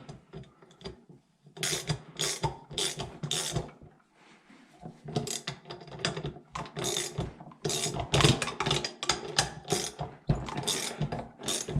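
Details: Yamaha YT60 Tri-Zinger (PW50-type motor) seized bottom end being freed: repeated gritty, ratchety clicking as the crank is turned by hand; still rough, bearings to be flushed and soaked in two-stroke oil.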